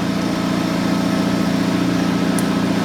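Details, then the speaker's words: Honda Civic Type R FL5 idling right after a DIY transmission fluid change, check engine light on: loud steady idle, low drone with a slightly uneven pulse; fault behind the warning lights unknown. "So, my car is freaking out right now. I do have engine light on."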